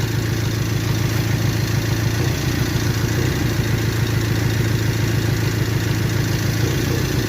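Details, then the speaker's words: 1998 Toyota 4Runner 4-cylinder, waste-spark ignition, obvious misfire with no codes, scope diagnosis: low lumpy idle with uneven beat about three pulses a second, engine visibly shaking, one cylinder dropping out; misfire rough idle. "then I'm going to move this to the other one and we got to click invert that one has to Hash obviously the engine is shaking"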